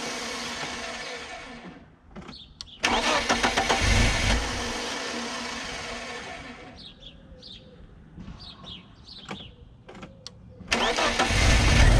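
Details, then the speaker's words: BMW E36 Compact with M43 engine, after replacing the stuck, corroded idle control valve (old idle about 1200 rpm) with an AliExpress ICV and a rubber gasket. Quiet, steady idle of about 800 rpm with no hunting or surging. "So, we got 800 RPMs. And I think I think that AliExpress ICV is working."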